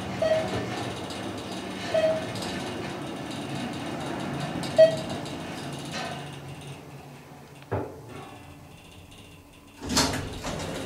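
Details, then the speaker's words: Descent to the lobby in the Church Ave. Garage elevator in Roanoke, VA, after the Thyssenkrupp modernization with a Hollister-Whitney drive. Believed to run about 350 feet per minute. A quiet, even rushing hum with no grinding, then soft thumps at the stop: a normal, smooth run. "this is also a really fast elevator too i believe it goes 350 feet a minute so it's pretty quick"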